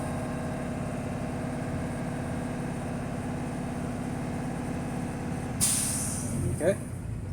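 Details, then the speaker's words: Class B school bus diesel, revs raised to refill air tanks before a static brake test: steady idle with raised revs, then a sharp burst of air hiss as the governor cuts out with tanks full; air brake governor cut-out. "So now we're going to give gas, bring the RPM back up to 20, and as you can see, the gauges are refilling fast. Once you hear the tss sound, it's"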